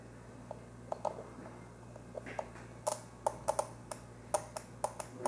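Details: Relay under test: crisp single clicks at irregular intervals with clean switching and no buzz or chatter; a healthy relay.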